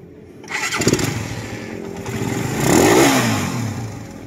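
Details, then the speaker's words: Engine refreshed five months earlier, noisy when cold: fires up and blips once, a rattly metallic clatter lingering through the rev and back to idle; mechanic suspects compression release or timing chain, not confirmed. "Ayan, may parang kumakalampag na naiiwang tunog. Ayan, oh. Sa mga ganyang tunog mga boss, pwedeng compression release talaga yan or timing chain."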